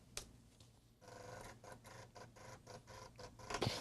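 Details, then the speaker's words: Tandon TM100-2A floppy drive running a GW clean command to seek the head back and forth: uneven buzzy ratcheting bursts, about three a second; seek works but sounds rough and strained, before cleaning and lubrication. "It is technically doing it. Okay. That sounds awful."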